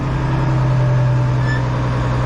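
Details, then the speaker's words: International 1586 diesel tractor with a sticking fuel check valve, after adding a diesel fuel additive, lifting implement: steady, even low drone holding speed smoothly, no knocks or misses. Normal running under light load. "but it seems to be running pretty well and if it if that's the case it'll be the first time that I've ever uh started this up on the first try"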